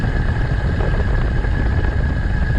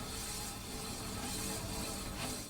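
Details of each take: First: Electric bike hub motor riding on the road at high rpm, full speed: a faint steady high whine under heavy wind and road rush. Ordinary, normal hub motor noise. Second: E-bike disc brake with the rotor rubbing a misaligned caliper: harsh, continuous grinding as the wheel turns, the worst stage after faint wisps and repetitive ticking. The fix is loosening the two caliper bolts with a 5 mm hex key and realigning.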